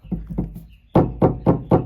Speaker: just give it a knock and it does make some noise that's kind of similar to what the clunk sounds like when I'm driving uh yeah so it looks like the stabilizer needs to be replaced